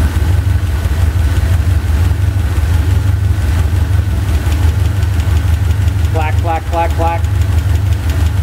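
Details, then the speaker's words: Chevy 350 V8 idling during driver-side valve lash adjustment: steady idle with uneven light clacking from the valve cover about three per second, stopping as each rocker is tightened; valve lash clatter. "clack half a turn for me that's a quarter that's a half stop clacking next one oh that was hammering"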